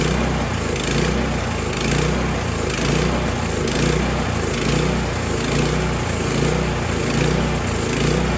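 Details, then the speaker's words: Snowblower small engine after carburetor cleaning after sitting too long: speed rises and falls about once a second in a steady cycle; idle surge that may go away as it warms, possibly bad gas left in the fuel line, cause not confirmed. "Now you hear that little bit of surge. Sometimes as they warm up that'll go away."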